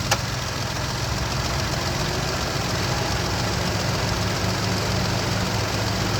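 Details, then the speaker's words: Mahindra XUV 300 at idle with AC on: a low, steady growl. It recurred a month after the AC compressor was replaced. A new compressor and then an auto tensioner were tried, yet the noise remained. Cause unconfirmed. "इसमें बहुत बड़ी concern यह है कि जब भी हम इसका एसी ऑन करते हैं तो इसमें घरघर जैसी आवाज आती है।"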